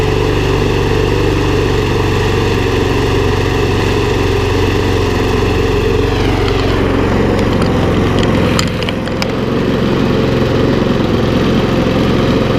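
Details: Briggs and Stratton Sovereign mower, non-runner for over two years, restarted after little work; loud steady single-cylinder drone, even throughout with slight pitch shift midway; normal running.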